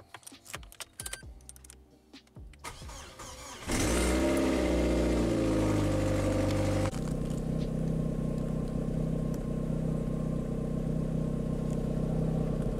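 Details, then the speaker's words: 1.8 Corsa idling for several minutes just after a new standard exhaust was fitted. The beat stumbles every second or two, and the exhaust and engine feel like they splutter. An intermittent misfire is suspected, not confirmed; the alternator was later found bad. "so there we go that's the new exhaust feared whilst the cars running I felt like I could hear it misfiring and feel it misfiring"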